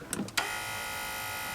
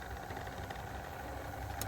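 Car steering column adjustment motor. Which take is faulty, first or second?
first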